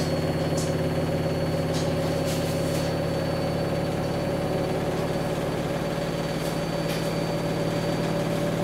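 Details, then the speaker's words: Samsung WW10N645RBW washing machine, first use after installation, leg adjusted to level it: smooth constant mid-pitch whirr during spin, no knocking or scraping; rated 73 dB spinning, slightly above conversation level; normal, healthy spin. "the Mon wall says that when spinning like this the sound level is 73 decibels which is a slightly above conversation level"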